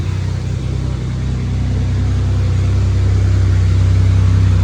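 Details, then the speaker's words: Camaro off the road 20 years, idling after coolant temperature sensor replacement, engine temperature unknown because gauge sender still needs replacing; steady even low rumble with regular beat, no misses or knocks: normal idle. "sounds very smooth now. So, since I found out that the car honestly runs like a dream now that I changed the coolant temp sensor, all I have to do is change the coolant temp sender, which powers the gauge."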